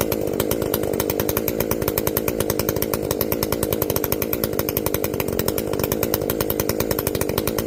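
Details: Echo CS-590 chainsaw after carb limiter removal and opened-up exhaust, high jet turned up a full turn plus low jet richened: crisp, fast, even two-stroke buzz held steady at high revs with regular firing; running well, not running hot.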